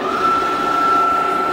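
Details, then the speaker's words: Clausing Kondia vertical mill, 3hp, 9x48 table, ProtoTrak Edge 2-axis CNC, just serviced and calibrated: spindle running at 1800 rpm, clean steady whine with no knocking or grinding, power quill works; normal spindle running. "That's 1800 RPMs. The power quill works as it should."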